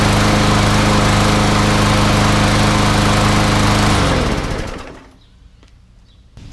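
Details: Newer MTD Yard Machines front-wheel-drive mower with newer Briggs & Stratton engine, after fixing no-start, blade sharpened and balanced: smooth, even firing at steady speed for four seconds, then clean wind-down; running healthy.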